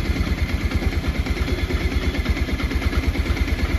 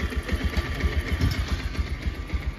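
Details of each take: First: Bajaj Pulsar 125 BS6 after the P2109 throttle position sensor fault was cleared and the TPS was checked with live data. It now idles steadily at about 1100 rpm, higher than before, with an even beat, no misses, no stalling and no fault codes: a normal idle. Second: Bajaj Pulsar 125 BS6 with its throttle position sensor disconnected: the check-engine light stays on and code P2109 is set. The single cylinder thumps at a low, slightly uneven idle with unsteady pulses, and the bike repeatedly stumbles and stalls from the throttle position sensor fault.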